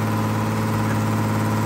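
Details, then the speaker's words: 1974 Datsun 260Z with twin carburetors, revived after sitting, idling steadily with a faint wavering beat and no clear misses; idle uneven, carburetors likely out of adjustment. "all right i'm gonna fire it up for a minute just to get some video here so here is the engine running at idle now"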